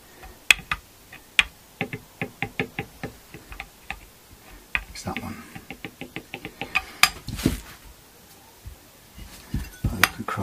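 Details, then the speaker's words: Chinese strat-style guitar with brand-new frets after re-radius, during fret levelling: rocker gives sharp light clicks about four a second; one low fret leaves neighbours high, all frets being worked down to its level. "When you have a really low fret, you have to basically keep on working until you get down to it. You really want to even everything out and avoid this rocking noise."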